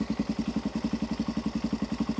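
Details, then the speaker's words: Cold carburetted motorcycle just started, choke knocked down a step: slow, lumpy idle with uneven low pulses about eight a second, sagging near stall and dying if throttle is twisted before warm-up; cold engine stumbling. "all right if I twist the throttle at this point it'll die if this bike doesn't warm up it's unrideable it hates it it just it does not work"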